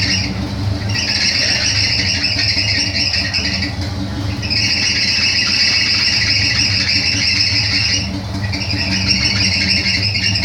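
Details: Chevrolet Opala Coupe at idle: high shrill squeal in waves of a few seconds, slipping accessory belt, about to be replaced.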